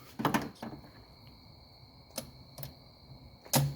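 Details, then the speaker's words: 1995 Mercedes E300 cruise control motor tested with its button at the front of the car: short whirring bursts come and go as the throttle is driven back and forth; the actuator works normally, the module is to be replaced. "Watch the throttle. See? That is correctly working. That's the cruise control motor down there."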